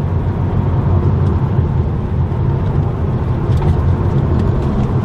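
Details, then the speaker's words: Toyota Supra on a very bumpy road after foam-taping the rattly plastic door panels: only a steady low road rumble with no clicks or buzzing from the door trim; the panels stay quiet. "so now on a bumpy road again very bumpy bad road hopefully you can tell but we are barely hearing anything i don't hear anything at the moment"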